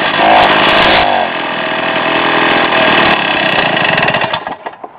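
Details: Rotax 247 two-stroke (10.5 hp, 250) from 1967 Ski-Doo Olympique, first run after bench rebuild: honed, new rings, crank bearings, merged Tillotson HL carb; high steady buzz then coasts down and dies, healthy, needs carb adjustment.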